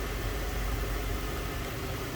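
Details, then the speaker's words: 2004 Ford Thunderbird roadster, low-mileage, 3.9 liter dual overhead cam V8 with automatic transmission, heard with the hood open: low, steady idle with an even pulse, no ticks, misses or rough patches; runs smooth, normal idle. "In 3.9 liter dual overhead cam V8. Runs nice and smooth, sounds good, looks good underneath the hood."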